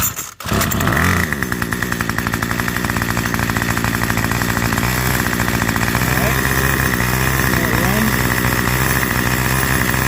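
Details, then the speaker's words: Curbside-found Craftsman 25cc two-stroke string trimmer, after refitting the fuel return line (divider piece left off), pull-started: steady even buzz at constant speed, no stumbling; high idle left unadjusted, runs normally. "adjust the high idle, but I think it's going to run perfectly fine the way it is, to be honest with you, especially in the spring."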